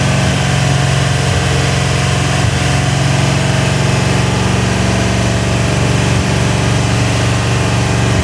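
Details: Rebuilt Ford 351W V8, first start and break-in (10:1 compression, Edelbrock heads, mild Howards cam, Autolite 4300 carb, ported intake): deep, loud, steady rumble at fast break-in idle, even beat, no knocks or ticks; normal idle.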